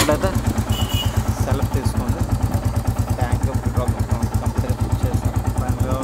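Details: Royal Enfield Classic 350 Reborn BS6 after fixing no-start caused by water in the petrol tank, tank cleaned and refitted; steady even low single-cylinder thump at idle with no misses or rattles, normal idle.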